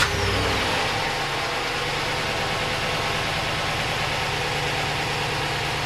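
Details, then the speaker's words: Stock 2015 Ram 1500 5.7 L Hemi, warm idle. It idles smoothly and evenly with the light, quick ticking of the fuel injectors, which is normal operation, with no Hemi tick, lifter noise or knock. "hopefully you can hear the normal sound of the fuel injectors ticking that's the one that is that's that's what they're doing it's not a big deal that's a normal sound of operation"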